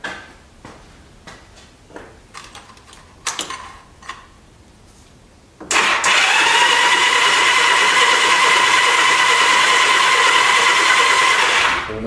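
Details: 1986 Honda Goldwing GL1200 SE-I fuel-injected, PB Blaster in cylinders, new start button: starter spins engine at steady fast whirr with no firing; cranks but won't start, spark check next, mice-chewed coil wires noted.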